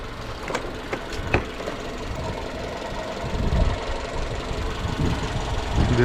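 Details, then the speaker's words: 2015 Jeep Renegade 2.4 with misfire: steady low hum under idle with a few clicks from the accessory belt drive; tensioner pulley found badly noisy, other pulleys, A/C compressor and alternator quiet. "так явно слышен звук испорченного ролика"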